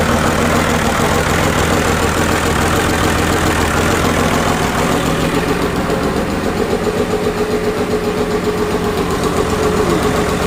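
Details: 1999 Cummins 5.9 24-valve diesel, first start after rebuild: steady, even idle with a smooth clatter and constant pitch, no knocks or misses; normal idle.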